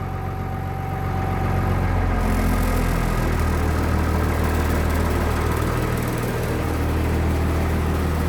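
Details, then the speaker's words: 1996 Blue Bird bus diesel, cold start after waiting for glow plug light: fires right up to steady low rumble, more vibration because seats are removed and engine is cold; no misses or knocks, normal. "Fire it right up. You can hear more vibration now because everything's out of it. When it warms up, it won't shake as much, but when it's cold, it's really going to shake. Just the way diesels are."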